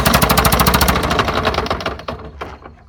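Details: Lawn-Boy "bricktop" two-stroke mower on fresh 32:1 fuel mix, drill-spun at about three rough pulses a second with no firing, then slowing; cranks but won't start, owner suspects a plugged carburetor.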